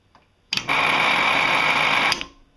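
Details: Laporte Leroy Somer 120V cocking motor brake on a skeet/trap machine, re-adjusted by snugging it fully, backing off 1/4 turn plus another 1/8 to set the gap; a clean steady high whir then a crisp stop, so motor and brake work normally.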